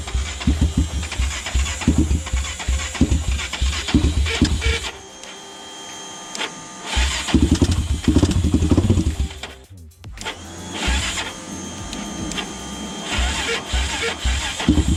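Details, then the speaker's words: Honda 400EX ATV, first start after rebuild with compression up to about 90 psi from 10: fast cranking bursts with weak sputtering catches, then cranking drags and slows as the battery fades. "i think the battery just died on but she's putting a little bit"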